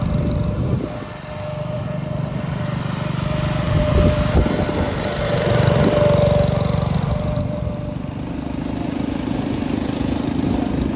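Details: 1962 Bolens Ride-a-matic garden tractor, restored and test-driven outside: single-cylinder putter climbs and settles smoothly as throttle opens and closes, no knocks or misses; runs very well at different rev levels.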